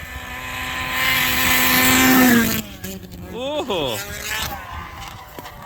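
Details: The little Enticer snowsled, sitting outside all season, runs under full acceleration with a high-pitched two-stroke scream climbing with speed, then pitch drops as it passes; pulls strong and clean, clocked at 55.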